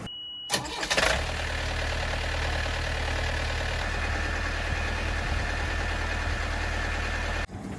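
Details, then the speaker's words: Boat diesel engine after replacing the starter solenoid (magnetic switch from new starter) on the old starter: short clean crank, catches within a second and settles to a steady even idle, better than the raspy new starter; normal start and idle. "so that sounded much better than the new starter we put on there"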